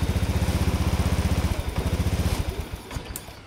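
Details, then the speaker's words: Honda Scoopy 2017–2018 fuel-injected scooter: single cylinder thumps evenly at idle then stumbles and dies within a second at full throttle; still stalls when throttle opened, fuel pressure next checked. "Oke, ya. Masih belum bisa ya, masih belum bisa digas."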